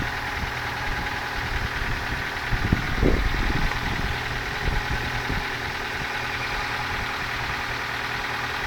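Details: Ford Focus 2 engine at idle with a loosely regular knock about two per second over the steady running; source unclear.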